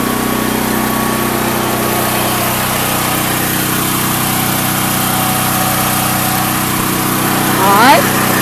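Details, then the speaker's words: Predator 8750 / Duromax XP12000EH dual-fuel generator (Tonco carb, 1 lb low-pressure regulator) started on propane with choke then choke off: even, unbroken drone with no surging or misses; normal steady run. "once it starts you just turn the choke off like you're doing anything else let's fire it up look no problem whatsoever"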